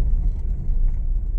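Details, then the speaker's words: Honda Mobilio test drive on a rough village road after the loose stabilizer link was tightened, not replaced. Only a steady low road rumble is heard, with no clunks. The earlier suspension knocking is gone and the suspension is quiet. "halus tidak seperti sebelum kita Kencangkan link stabilnya ini walaupun enggak diganti tapi sudah tidak bunyi ya Bro ya Karena memang tadi kendor"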